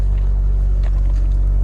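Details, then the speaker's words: M5 auction car, minor front-end accident damage, recorded from the rear with AC running: deep, steady exhaust burble at idle, even low rumble, no misses or knocks; sounds extremely nice and healthy. "Sounds extremely nice, even from the back."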